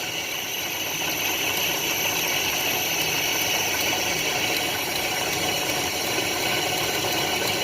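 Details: 1987 Nissan Pathfinder VG30i V6, 5-speed 4WD, just converted from throttle body injection to a Weber carburetor, in neutral while the idle is turned up: a steady, even idle with a light fast tick and hiss, no misses or hunting.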